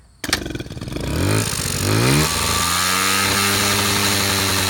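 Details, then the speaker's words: Honda Express NC50 moped two-stroke on a cold morning, hard to start; choked by thumb over the carb while pulling the lever, sometimes repeated; a few sputtering coughs, then catches, revs unevenly and settles into a buzzy idle. Carburetor replacement follows. "in the morning yeah when it's cold and it doesn't want to start you have to do the same wind-up things you always do"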